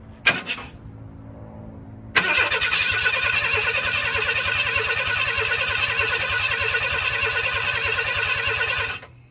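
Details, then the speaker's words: 1991 Ford F150 300 straight six, first crank in restoration, motor barred over and free, solenoid energized by hand-held 12V lead: steady, even cranking about three turns a second for seven seconds, no start; starter spins engine strongly, sounds healthy. "sounds pretty good let's do that again"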